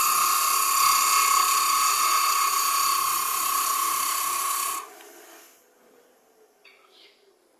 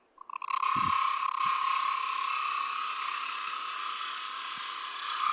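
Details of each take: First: Woodturning lathe cutting a Brazil nut husk, which cuts dusty rather than giving wood shavings: steady high buzzing whine with a fast flutter, about four pulses a second, then quiet; tool chatter vibration. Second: Light lathe cut on a Brazil nut husk bowl with a finger behind the bowl for support: steady high hiss with an even tone and no chatter; the damping removes vibration and gives a cleaner cut.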